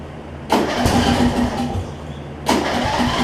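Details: John Deere 125 rider whose blown 20hp Briggs V-twin (broken connecting rod) was swapped for a 14.5hp single-cylinder from an MTD: cranks, catches briefly, runs unevenly, dies, twice. Acts like fuel starvation, maybe carburetor; not confirmed.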